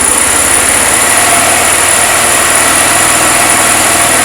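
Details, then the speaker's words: Chinese 150cc scooter (157 engine) after piston and valve replacement for zero compression, running without air filter fitted: steady, even buzzy single-cylinder idle with no knocks or misfires, judged to run well. "Я думаю що непогано працює"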